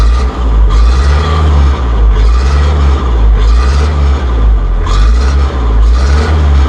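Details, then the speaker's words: Massey Ferguson hydrostatic tractor in neutral, cab door open: steady low diesel drone rising and falling as the forward pedal is pushed, the mechanical auto throttle raising rpm as an anti-stall feature; normal. "can hear when I push the hydrostatic changes the engine rpm this is called auto throttle this is a mechanical auto throttle that allows you to have an anti stall feature on your hydro step"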